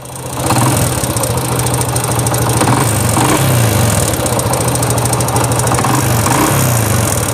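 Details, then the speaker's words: Honda Wave 100 idling in neutral: light, quick ticking over the steady idle from loose starter clutch bolts on the magneto side, with a starter clutch knock that goes away with more throttle. "Rồi đây, anh em nghe tiếng kêu đây. Tiếng kêu tích tách"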